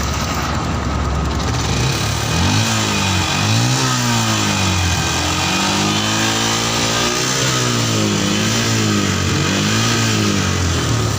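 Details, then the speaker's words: Yamaha Jupiter MX New 135, carburettor serviced after 6 years unserviced to cure hesitation on throttle: single-cylinder revs rise and fall cleanly through several blips, no stumble, road-tested to 80 km/h; hesitation fixed, though engine smokes blue. "Ini brabetnya udah hilang, tadi udah dibawa jalan sampai kecepatan 80, nggak ada gejala turun ya."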